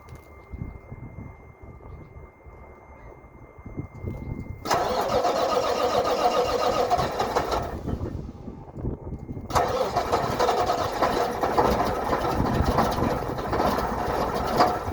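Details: 1987 Mack dump truck, cold start on a very cold morning: long cranking before the diesel fires, stumbles and dies, then catches and settles into a rough, uneven chug with heavy smoke. Hard cold starting; the truck is still leaking.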